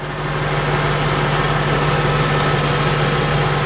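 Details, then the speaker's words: 2003 Ford Thunderbird V8 coupe with 68,000 miles, heard under the open hood at idle: smooth, even, very quiet low rumble with no ticking, knocking or misfire; runs good, normal idle. "It's very quiet. It runs good."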